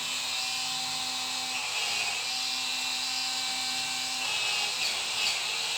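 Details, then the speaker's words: Cordless spin scrubber cleaning brush after battery replacement, head refitted: high steady whirring whine, even pitch, no stutter or grinding; motor runs properly with more speed and pickup, normal speed 300 RPM. "Speed కూడా పెరిగింది, pickup కూడా ఉంది. దీని normal speed 300 RPM."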